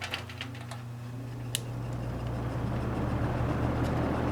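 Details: Kenmore two-speed box fan, switched to low speed after spinning down from high, unoiled; a few light clicks, then a steady hum builds as the fan settles, running smooth and even.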